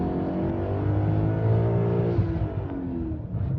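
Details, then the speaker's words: BMW E39 M5 in 6th gear at about 60, aggressive throttle: engine note rises and flares without matching pull, RPM climbing without speed; worn clutch slipping under load, clutch then replaced along with shifter bushings and pilot bearing. "So there you go. I think the clutch is toast. The RPM just raised without the speed."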